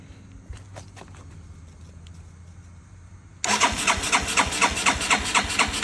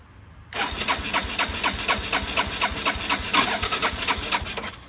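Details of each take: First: 1981 Yamaha SR185 single after replacing faulty TCI (weak spark, sputter, bog, backfire) with Ignitech unit, aftermarket carb: fires at once, choke off, settles into brisk, even, higher idle with no sputter; healthy. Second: 1981 Yamaha SR185 single-cylinder, original TCI, aftermarket carb, no choke: rapid even cranking about four beats a second with sharp pops, never catching; backfire from intermittent weak spark caused by faulty original TCI ignition box, before Ignitech replacement.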